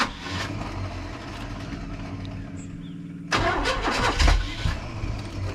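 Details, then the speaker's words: 1980/81 Chevy truck engine after sitting about 29–31 years: steady starter churning at about 2.5 turns a second, then a ragged surge that never settles; cranks but won't start. Owner suspects wrong timing, a jumped chain, a loose rocker or a sticking valve. "it's almost like we got a seems like we're out of time but it's almost like we have a loose rocker arm or a valve that's sticking something like that"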